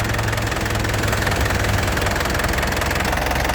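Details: 2010 Isuzu Panther LS turbo diesel idling after a one-crank start: steady even clatter and deep rumble, stable with no ticking or knocking; engine judged healthy.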